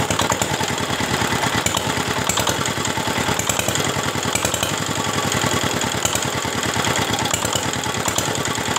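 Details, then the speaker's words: Single-cylinder R175 diesel, previously dismantled by its owner, after rebuild following a broken crank bearing: fast regular beat at idle with a loose, clattery knock on each stroke; the knocking persists, cause unclear. "nah ini tadi suara koplaknya masih juga terdengar ya"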